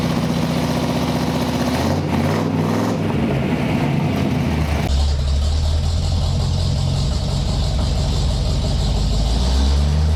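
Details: 1958 Chevy Apache truck, V8 with 4-speed manual, running during rejuvenation: catches and settles into a deep, steady, even idle with smooth low burble, no knocks or misses; healthy.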